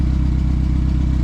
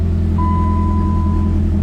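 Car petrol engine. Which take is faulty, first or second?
first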